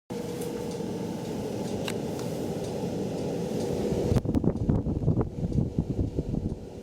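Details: Brand-new Venmar EA-1500 air exchanger just installed: steady low hum with faint mid tone carrying throughout the house, then handling knocks; abnormal ventilator drone, cause unclear.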